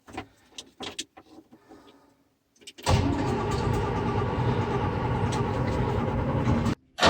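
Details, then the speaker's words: Old Terex articulated dump truck diesel cranked with a shot of ether on a warm May day: a couple of seconds of quiet clatter, then it catches abruptly and settles into a steady, even warm-up idle while building air pressure; normal start. "Let her warm up, build up a pressure. She's an old girl, but she's nice. She's reliable."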